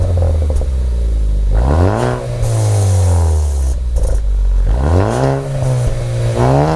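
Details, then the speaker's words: Ford Focus ST, old turbo before K03 replacement: engine revs rise and fall with a light metallic clatter. The rattle comes from the wastegate flapper, which doesn't seat fully, causing power loss. "so what was me causing to rattle it's just this part right here"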